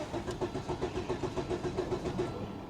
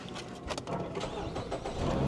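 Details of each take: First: 1997 Volvo 850 Turbo, 131,854 miles, likely sat six or seven years, charged battery: starter cranks evenly at about seven compression beats a second and turns freely but never fires, tach not moving; crank no start, cause unconfirmed. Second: Fiat at auction with 105,000 miles: short crank, then the engine catches quickly and builds into an even idle, a clean healthy start.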